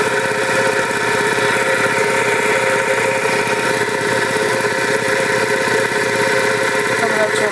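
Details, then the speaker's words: Vintage two-stage reciprocating compressor with a GE 2hp single-phase motor. The pump runs unloaded: steady, even beat of about one per second under a constant motor hum. Normal. "see you hear it running but it's not actually pumping now the tank pressure is Fallen the valve kicks back in and starts refilling the tank"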